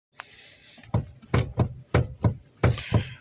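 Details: Lada Vesta NG: dull, heavy single knocks in irregular clusters, roughly one or two a second, over a quiet cabin, traced to a knocking electric power steering unit.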